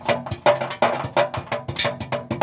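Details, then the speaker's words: Toyota Sequoia, engine off: loose tinny clatter in uneven bursts about every third of a second from an exhaust heat shield whose two bolt-down mounts have rusted away, owner-reported rattle. "something that the owner just brought up is a rattling heat shield so it didn't take long to find it it's gonna be this one right here"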